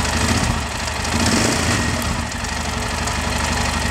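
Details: Yamaha Ténéré idling with a strange engine noise: uneven clatter and loose irregular tapping over the low rumble; abnormal, source unclear.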